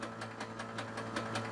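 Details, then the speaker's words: 68-year-old museum airplane that had sat about 20 years, first start attempt: the starter spins the engine over with no load in even chugging, about five beats a second, but it never fires. Cranking, not firing. "oh yeah that's spinning around all right and you let it run for 10 20 seconds because there's no load on it"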